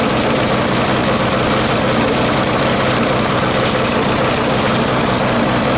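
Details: 1996 Murray 20-inch mower, Briggs & Stratton 4 HP single-cylinder, cold start at 3 °C after 10 months sitting: loud idle stumbling and popping unevenly; lean, not getting enough fuel; different spring fitted to raise idle, may need spring adjustment.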